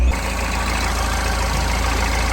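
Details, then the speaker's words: Mahindra Xylo diesel, in neutral, after repair of the injector circuit that caused a 3–4 month crank-but-no-start: starts and holds a steady, even, low idle with no misfire or stumble, revving cleanly when accelerated; engine running normally. "Good, வண்டி start ஆகிடுச்சு. இப்போ oscillator கொடுக்குறேன், வண்டி நல்லா rice ஆகுது."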